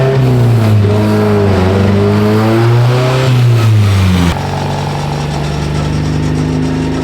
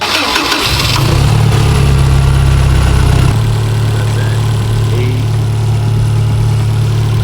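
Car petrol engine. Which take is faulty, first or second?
first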